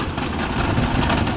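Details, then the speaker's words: 1980s stock derby car idling roughly with the transmission in gear but not moving: dull low clunks from the transmission, which knocks in gear but gives no drive. "you can hear that clunking noises and stuff that is the transmission I currently have the transmission in gear and it's not going anywhere"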